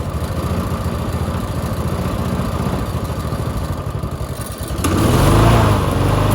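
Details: Push mower that sat six years with water in the engine, running on bad oil with a new air filter setup: uneven chugging, then speed jumps sharply as the loose throttle moves; surges high, then shuts off.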